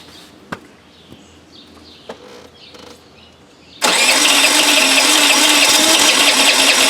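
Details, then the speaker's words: 1983 Honda Elite scooter, long stored, cranking: quiet then a steady loud airy hiss with quick even pulse; owner suspects exhaust back pressure, maybe a mouse blockage, pushing fuel out the float bowl. "you hear the air like there's back pressure somewhere and that might be why the fuel's being pushed out the bowl the vacuum's not working like it should"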